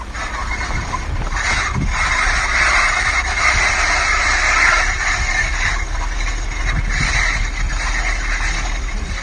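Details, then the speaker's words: Kia Sorento Mk1 while driving: a droning, gritty roar that rises and falls with speed; the owner suspects worn brake pads with the wear indicator rubbing the disc, or a worn front wheel bearing, which was later replaced. "So it's either the brake pads have come to the end of their life and are now rubbing on the disc and it's a wear indicator just tingling away, making that really bad noise, or I hope it's not"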